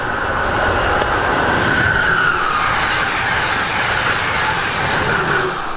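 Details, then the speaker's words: Strasburg N&W 475 steam train at the end of the line before the return trip: steady rushing air hiss with faint creaks and a brief high squeal under the cars. Crew performing a normal brake test, no knocking. "the creaking and hissing that you'll hear under our cars is the sound of the train crew performing a brake test the brakeman checks the brakes on the last car and passes signals up to the engine crew at the head end of the train"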